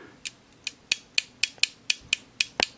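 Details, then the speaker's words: Astatic Silver Eagle Plus CB base microphone with VOX and Roger Beep, during repair after reconnecting the element and jumper wire: crisp, sharp relay clicks, about eleven in three seconds, over a quiet room; keying relay and micro switch switching properly. "so now you can hear the relay clicking that's a really good quality micro switch"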